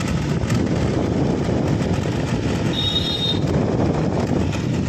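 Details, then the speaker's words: Microwave oven fan motor, removed and run on its own in series: a steady, gritty rattling buzz, rough and uneven throughout, from worn bushings inside the motor. "ये आप देख रहे हो य इसी में से आवाज आ रही है फ से क्योंकि इसके अंदर के जो स वगर होते हैं वो घिस चुके"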